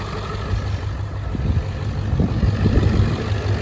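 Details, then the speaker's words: Ford 7.3 Powerstroke diesel after a new fuel pump (about 20 lb more fuel pressure) and a return spring replacement: a deep, lumpy idle that rises and falls unevenly. It still sounds like it's missing on one or two cylinders, cause unknown. "It still sounds like it's missing on one or two cylinders."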